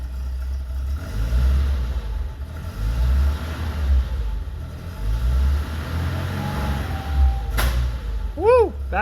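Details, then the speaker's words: 1982 BMW 320i warming up after fuel system rework: rough, stuttery idle, then one sharp pop as the throttle is blipped; backfire, with the tachometer not working, cause not pinned down. "backfire yeah none of the tack works or"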